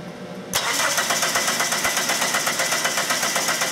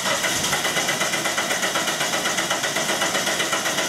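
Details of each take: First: 1997 Dodge Neon 2.0 L after transmission replacement: even starter cranking, never fires; test light shows no spark, code P0320 no crank reference signal; cause broken wires at crankshaft position sensor connector, fixed by wiring repair. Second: 1997 Dodge Neon 2.0 L, no-start with P0320, ignition disabled by unplugged coil: even starter cranking about four compression pulses per second, steady speed, no dragging; healthy crank, cam and crank signals present throughout.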